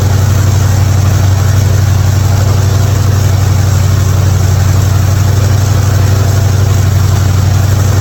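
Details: '55 Chevy hotrod V8 after a spark plug change for fouled plugs and popping: deep, even exhaust burble about four pulses a second, no pops or skips, smooth idle.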